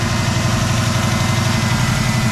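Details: 1989 Mustang 5.0L Fox body notchback, AOD, converted from EFI to Holley 600 CFM Street Warrior carburetor with UPR 4010 pickup, fuel pump wired direct; steady, even low rumble, smooth regular pulse, no knocks or misses, warm clean idle.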